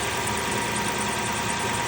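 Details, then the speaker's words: 2002 Lexus LS430 V8 at idle, left-bank VVT solenoid energized (spark shows current): idle stays steady with no dip or stumble, so the solenoid makes no difference; suspected VVT fault, not confirmed. "So that valve that solenoid is not uh it is engaging but it is not making any difference."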